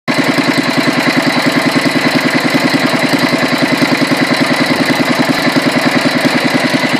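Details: Petter A1 single-cylinder, second run after rebuild and another fine tune, ran an hour until out of fuel with no hiccups: steady even chuffing about two beats a second, no misses or knocks; running smoothly.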